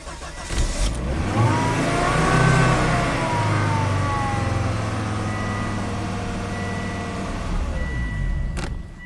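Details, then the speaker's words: 2005 Volvo XC90 Turbo, 80k miles, idling after restart at 56 PSI: engine runs evenly then cuts out abruptly as if key switched off, with pump relay on and pump duty cycle about 33%; stall from fuel pressure loss. "like someone just turned the key off fuel pump relays on okay okay it does look like it's losing fuel pressure but then it comes back"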